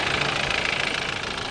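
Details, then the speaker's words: Older BMW at warm idle: steady but loud with harsh rattly, diesel-like clatter, no exhaust smoke; owner thinks it seems too loud, wonders if direct injection explains it; cause unconfirmed. "she's actually she's actually quite loud I suppose I could be direct injection I don't know about that"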